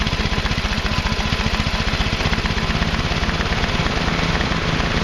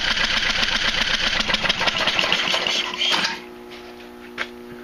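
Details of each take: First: Craftsman Hydromatic mower, 15.5 hp Briggs and Stratton OHV, running after excess oil was replaced with the correct amount: a fast, even beat at steady speed with no misfire or stumble. Normal running. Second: Craftsman Hydromatic mower with a 15.5 hp Briggs & Stratton OHV, flooded engine, cranked with spark plug out and coil firing: rapid wet chuffing crank, about four beats a second, spitting fluid; owner suspects thin oil, not gasoline, in the cylinder.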